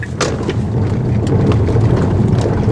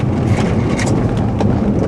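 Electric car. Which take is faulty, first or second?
first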